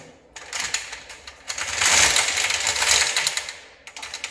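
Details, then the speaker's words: Homemade pedal car being pedalled: quick uneven metallic clatter, about three ticks a second, chain turning but rear wheels not driven; owner suspects the sprocket isn't bonded to the steel rod. "But for some reason, I think the sprocket is not fully connected with the steel rod."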